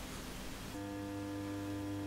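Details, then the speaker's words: Blackstar HT5R guitar amp, powered on: steady low mains-frequency hum with a faint buzzy edge, with highly distorted output; electrolytic HT and low-voltage filter caps being measured, C42 suspected, cause not yet confirmed. "I hope you can hear that horrible hum in the background. That's the noise this amp is making."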